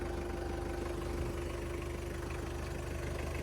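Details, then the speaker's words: 2001 Toyota Qualis diesel at its first service after 2000 km following engine rebuild for oil consumption, run in at 60–70 km/h in hilly area, nozzles cleaned; steady even idle thumping about three times a second, no knock, tuning correct. "എൻജിൻ്റെ sound തന്നെ ഞാൻ നേരത്തെ നമ്മൾ engine പണിത് കിട്ടപ്പോൾ തന്നെ ഞാൻ പറഞ്ഞു അതിൻ്റെ tuning കറക്റ്റായിട്ട് നമുക്ക് ഫീൽ ചെയ്യാൻ പറ്റും."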